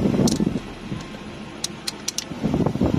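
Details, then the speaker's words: Toyota Hilux Vigo with engine running, AC switch tested after its locks and handle had broken: blower roar drops away, a few light clicks, then load returns; AC compressor cycling on and off normally, switch works, only handle needs replacing. "हाँ, अभी हमारा AC, आपको आवाज़ आ रही होगी कि हमारा जो एसी है वो अभी ऑन ऑफ हो रहा है।"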